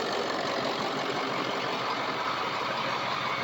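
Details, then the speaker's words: Diesel truck, on a jack, after months of misfire and hesitation: even, steady idle clatter with no stumble or skip; no misfire. "There's no misfire or anything. I'm super excited."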